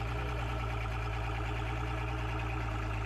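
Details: Mercury Optimax 150 outboard after air compressor replacement, fuel and air pressures regulated about 15 psi apart: steady, even low drone with no misses, knocks or surging; running normally.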